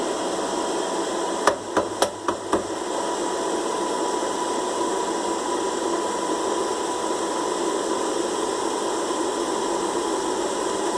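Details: Air fryer running with a steady fan whir, a faint tone and short bursts of sharp knocks. The fan motor is likely loose because one of the three screws that stabilize it is missing.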